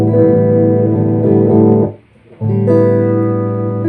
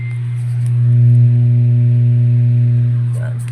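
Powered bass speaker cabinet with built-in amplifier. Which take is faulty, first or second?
second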